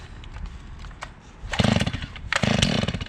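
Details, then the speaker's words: Stihl MS 500i chainsaw on its first start, cranked on full choke until it burps once before going up one click; two short rough bursts of firing as the cord is pulled, the engine catching briefly, a normal cold-start burp. "Again, we'll have to select the full choke. We'll crank it till it burps one time."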